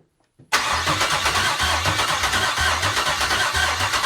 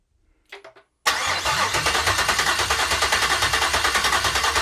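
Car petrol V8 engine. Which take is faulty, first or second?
first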